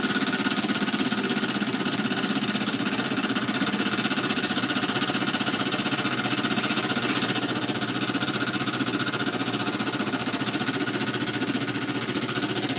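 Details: Small model steam engine, brass frame bolted to boiler, freshly reamed: steady hissing exhaust with light regular knock about four times a second; intended bearing clearance, crankshaft would seize from expansion without it; normal.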